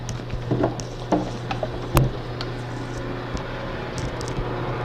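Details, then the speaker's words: Automobile air conditioner compressor used as shop vacuum clamping pump, unguarded, with automotive fuel-line filter: steady low hum under bench clicks and taps, no knocking; running normally. "This here is your basic automobile air conditioner compressor. You don't need a lot of vacuum for clamping."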